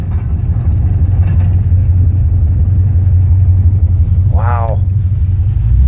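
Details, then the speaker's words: 1976 Chevy C10 while driving, mainly coasting: heavy rough low rumble and binding from rear end, vibration felt through springs and frame; owner suspects loose drive shaft or universal joints into rear end, unconfirmed. "I think I'm going to start my investigation there and look at the universal joints, but I get a vibration in the rear end. Gosh, that sounds... Okay, thank you. YouTube, hopefully we can resolve this sound. That sounds like the drive shaft is loose."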